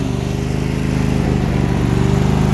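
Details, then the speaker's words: Briggs & Stratton Intek V-twin after valve lash adjustment, cold morning below 70°F, running on choke: pops along with steady, even firing beat, no misses; previously ran much worse and barely idled, now running properly. "it's still cold you got to run these things and choke for a while when they're cold"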